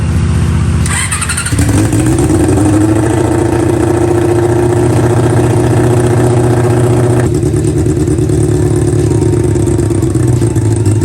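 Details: Honda CB400 four-cylinder with four square carburetors fitted to an off-road golf cart, before throttle linkage is done: catches and settles into a steady, even, smooth idle; carbs sound well balanced.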